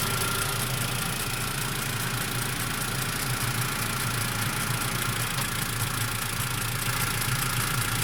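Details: Mitsubishi MIVEC engine at warm idle after warm-up: a loose, uneven ticking sits over the steady engine hum; abnormal noise present, source not identified.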